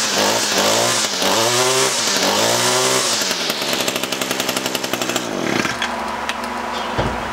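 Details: Echo SRM-225 straight-shaft trimmer, wouldn't run after storage; after diaphragm and air filter replacement, hidden jet adjustment, restrung: snaps to high buzzing rev a few times, then steady even idle; normal running.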